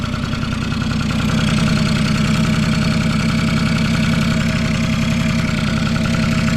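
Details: Vintage Honda Squash (AB11-1064) 12V scooter with electric start, working test: even, quiet single-cylinder putter holding a steady low idle with no knocks or rattles; no abnormal engine noise, normal idle.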